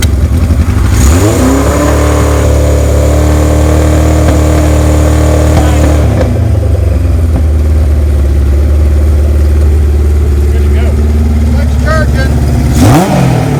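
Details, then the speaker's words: 1978 Kawasaki KZ1000A with four-into-one exhaust and apparently original miles, cold-blooded on a cold day but already run earlier. It fires up, holds a steady high rev, then drops to an even idle with a final blip: normal start and idle. "so I'm going to fire it up for you we had it run a little bit earlier"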